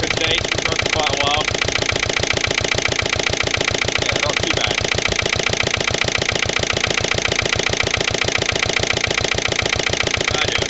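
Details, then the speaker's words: Lister LD1 single-cylinder diesel on a chilly morning, after a fuel filter change and bleeding. Chugs slowly at roughly two and a half beats a second at a very slow idle. Owner suspects the injection system still isn't right, possibly a missed bleeding step. "but I reckon we still got a problem with the uh the whole inject sy's not quite right hopefully we'll find out what a wouldn't it be nice if you could have it running that slow all the time would be pretty sweet"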